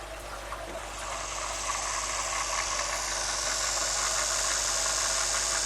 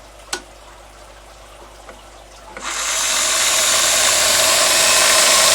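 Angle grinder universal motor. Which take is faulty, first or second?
second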